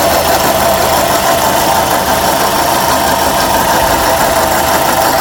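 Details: 2006 Suzuki Forenza at idle: loud, steady idle with a harsh rattly edge over the engine note; sounds unhealthy, cause unknown.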